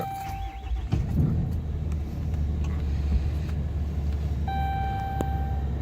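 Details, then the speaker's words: 2011 Dodge Ram 3500 Cummins turbo diesel 4x4, fresh oil, filters and fluids 200 miles ago: chime, then catches within a second and settles into a deep steady even idle, no odd knocks or check-engine lights; normal start. "So you can see there's no check engine lights, no weird noises."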